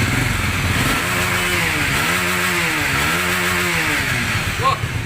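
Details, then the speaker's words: Honda Supra/Grand small single-cylinder motorcycle after converting AC to DC electrics: runs steadily, note dipping and rising with light throttle blips, smooth even idle, good power; nothing abnormal. "Oke ini motornya udah nyala ya Oke coba digas ingin menyentuh hatinya pun enak tenaganya pun enak ya stasionernya juga bagus gitu kan"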